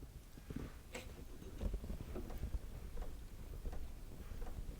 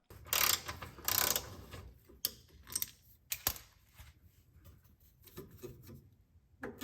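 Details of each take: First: 2009 Honda Civic with creaking over bumps, raised on jacks: dry sway bar bushing rocked by hand gives only soft dull knocks and rubbing, no creak; lubed anyway. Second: 8th-gen 2009 Honda Civic: dry, groaning creaks come in bursts as the sway bar is twisted by hand; the owner suspects dry sway bar bushings cause the creak over bumps, before lubricating them with silicone spray.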